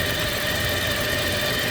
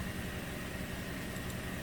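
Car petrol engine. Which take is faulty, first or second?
first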